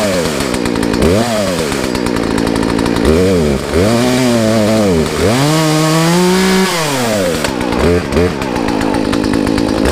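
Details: Poulan two-stroke chainsaw after new air filter, fuel line, fuel filter and Zama carb rebuild, high and low jets set 1.5 turns out: revs climb and drop cleanly with throttle, no bogging; runs healthy, maybe not 100%.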